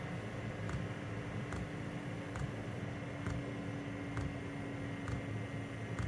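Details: Diesel heater running on low setting, microphone about 14 inches from the fuel pump: steady low hum with a soft even tick a little over once a second from the pump; smooth, quieter-than-usual normal operation.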